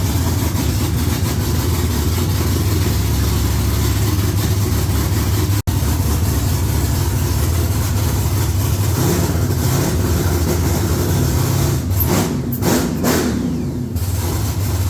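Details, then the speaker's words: V8 with Holley electronics, just after an oil filter change: deep, steady rumble holding an even idle with no knocks, misses or surging; normal, healthy idle. "huh huh yeah sounds good there it sounds damn good"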